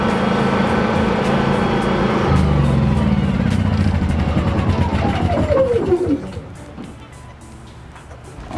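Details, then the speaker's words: Generator after reassembly following repair: starts and runs at a steady, even pace with no knocks or rattles, then winds down smoothly on shutdown; sounds healthy. "I'll give it a quick start just so you guys can hear that it's working fine. No weird noises, nothing but pure bliss."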